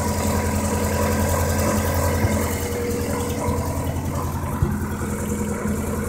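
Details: Vauxhall Corsa SRi x14xe petrol engine with R6 bike carbs and Megajolt ECU idles unevenly, stumbling as a cylinder misses; cause found to be a broken HT lead, replaced, plus larger main jets fitted as it ran lean.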